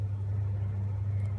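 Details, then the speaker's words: About 10–20-year-old Hitachi exhaust fan: steady low motor hum with little airflow as it runs slower. Owner suspects dry bearings with no oil ports are sticking. Fan running slow from dry, sticking bearings. "seems to actually be going slower now. Maybe the bearings are starting to get stuck over time, since this fan is probably about 20 years old, I guess."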